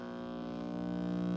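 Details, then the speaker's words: 1947 Travler transformerless AC tube radio, switched on before repair: loud steady layered mains buzz rising after switch-on while stations still tune; diagnosed as typical filter capacitor failure. "You get that really loud buzz. It does kind of work though, see?"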